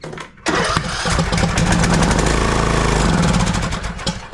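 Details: TroyBilt lawn tractor, long-sitting, wouldn't start, unchoked, throttle full, given a shot into the carburetor: catches, runs rough about three seconds, then sputters and dies, no fuel getting through; carburetor needs cleaning.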